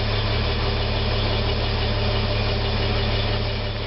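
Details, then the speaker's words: Restored 1969 Toyota Crown Super Deluxe, rebuilt clutch master and slave cylinders: steady even low rumble with smooth idle rhythm, no smoke, misses or knocks. Normal idle. "no smoke car run beautifully running now we can hear it running not one bit of smoke"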